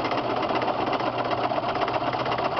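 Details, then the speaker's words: Cheap Delta drill press milling steel with an end mill at a cut of at least 1/16 inch: an even, continuous cutting whir with a fine steady buzz and no harsh rattle. The cut is smooth with less chatter than a mini mill. "And it this is just as rigid as my $1,000 uh mini mill. My mini mill makes more chatter than this."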